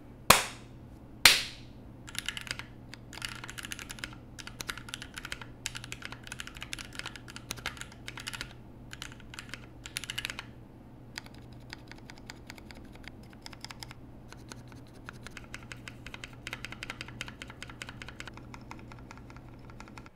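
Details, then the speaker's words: Keyboard spacebar after the ticking fix (lubed stabilizers plus band-aid under the wire), sound test: steady typing with clean, dull key clacks and no metallic tick from the spacebar. "this combined with the band-aid underneath wire was enough to completely stop my ticking problems"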